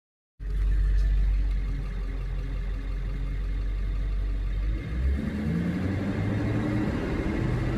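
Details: Ford 7.3 Powerstroke diesel revving: deep rumble with a rough rising growl and whistle as revs climb, likened by owner to a garbage truck; abnormal noise under throttle, source unknown.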